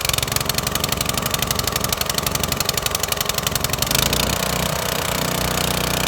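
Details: Lidl Parkside PHDB 4 C3 petrol four-stroke 180-bar pressure washer, water connected, oil added: small single runs with a crisp, even rapid beat, then settles into a fuller steady note as the pump takes up; healthy.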